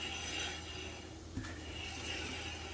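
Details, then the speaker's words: Rear brakes on a 2008 Honda Ridgeline, wheel jacked up and turned by hand: a steady hissing scrape with one light tick. This side drags even worse than the other, with heat checking visible on the caliper. "side dragging even worse. Just look at the heat checking on that caliper. Wow."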